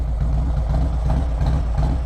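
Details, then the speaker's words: V-twin with Woods 22-XD cam, HPI 62 mm throttle body, ported manifold, air cleaner and exhaust, S&S oil pump, cam plate and tappets, dyno-tuned 119 hp/124 ft-lb, warmed up: deep uneven cam lope, no knocks. Normal lumpy cam idle. "can really hear the cam lope now for sure"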